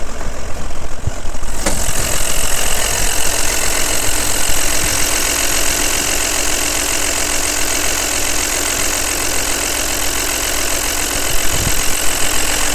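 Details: Audi Allroad at idle: loud, steady note with a dense clattery rattle over it; excessive engine noise, cause not pinned down.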